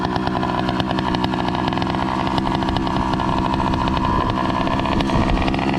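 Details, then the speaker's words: Two-stroke motorized bicycle with NT carburetor, idling after start-up: loud buzzy idle that stumbles and surges unevenly; the carburetor is suspected of not getting enough fuel for a steady idle, new jets planned. "what's going on is his bike is uh like having this weird idol like i was mentioning earlier because um it seems like his carburetor is not receiving enough fuel just to keep a steady idle be"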